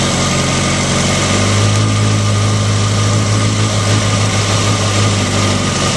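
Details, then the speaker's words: Motorcycle with manual cam chain tensioner just adjusted (tightened until chatter stopped, then 1/4 turn more, lock nut set): smooth, steady idle with an even low hum, the earlier cam chain rattle now gone. "so that's it right there you can hear the engine A lot quieter before it had a lot of rattle um right now um it's it's very quiet I don't hear the rattling at all"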